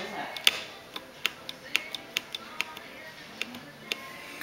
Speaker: it's grabbing sometimes it just doesn't grab the cable grabbing not grabbing yeah